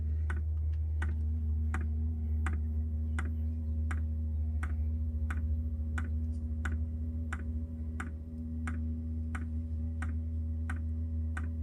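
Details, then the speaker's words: Diesel heater newly installed on a Jayco Freedom caravan, heard from outside: a crisp tick roughly every 0.7 seconds over a low steady hum as the dosing pump meters fuel normally. "You can hear it ticking away outside, that's for sure. Here, it's ticking away to pump the fuel."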